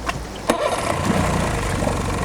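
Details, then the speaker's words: Outboard boat motor, winterized and stored all winter, restarted after sitting 2 minutes: a quick crank catches within half a revolution and settles into a steady, even run. Owner says it starts this way every time; healthy, very reliable motor. "1/2 revolution and it will be running. This has been a very, very, very reliable motor."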